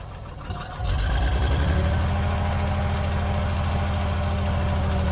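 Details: Old Caterpillar D6 dozer diesel started after fuel was found to be the problem: deep steady thrum that catches and settles into an even run, no misses or knocks; normal running.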